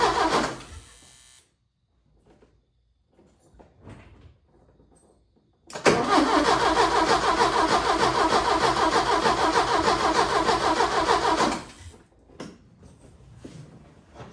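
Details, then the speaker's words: 1980 Porsche 924 Turbo, after a new fuel filter, with old fuel and only a little fresh fuel added: steady starter cranking at about three turns a second without firing. Crank, no start; owner suspects the stale fuel. "I really should drain the fuel. And I put a little bit some newer fuel in there, but probably not enough to get it to catch."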